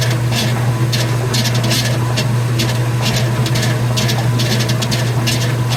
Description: Commercial top loader makes loud noise from the pulley.